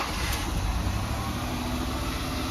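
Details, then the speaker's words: Mazda Tribute with Ford 3.0 V6, misfire code on cylinder 5, after swapping that coil with a neighboring one: lumpy, stumbling idle with dropouts; the misfire moved with the coil, so the coil is bad. "that seems worse so I think the problem moved yeah that's running way worse out you see that one's good now it made a difference so this coil is no good"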